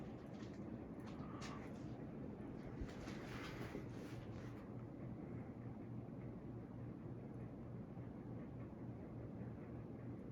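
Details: Boston Harbor Hugger 42-inch ceiling fan on high speed: a soft, steady rush of air with only a faint low hum and no ticking or wobble. Quiet, healthy operation.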